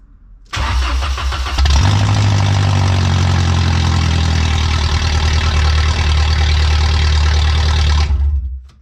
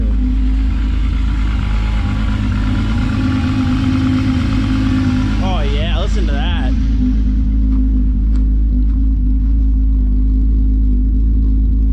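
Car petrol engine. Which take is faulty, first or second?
first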